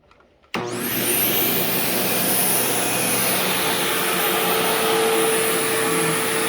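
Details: Sharp Twin Energy vacuum cleaning living room: loud motor roar with constant piercing high whine on top; owner notes squeal faded after running a while and returned somewhat after shutoff, cause unknown.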